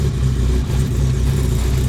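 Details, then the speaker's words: Cold start idle of a 700whp turbo Honda Civic EK running 93 octane, gas held slightly on cold start; deep, even low rumble with no knocks or stumbles, idling cleanly from cold. Normal cold start idle. "i gotta hold the gas a little bit on a cold start so there she goes no matter how long i leave her"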